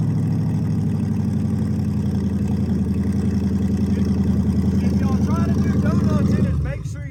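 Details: Crown Vic V8 after bad coil packs and old plugs replaced to cure misfires, junkyard transmission swapped; strong even burble with steady firing beat and no stumbles, then shuts off, all eight firing cleanly.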